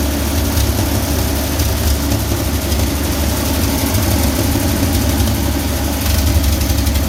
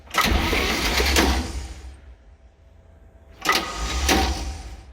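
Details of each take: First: 1966 Chevy G10 van V8, not run in 30 years, fed from separate fuel tank via new line to fuel pump; low steady rumble holding even idle without stumbles or surges, running and idling great, normal idle. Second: 1966 Chevy G10 van, ATF in the cylinders, checking for spark: two short cranking bursts with a quiet gap and no catch; the starter engages only intermittently, and no spark is seen.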